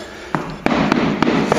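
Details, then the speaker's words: Knuckle taps on the lime mortar plaster over brick in a roughly 100-year-old house: duller, hollow taps mark the drummy section that has come loose and will be cut out and replastered. "hi we've got some patching here that's been done but there's still a drumming section up here we're gonna have a look where it is and then open it up"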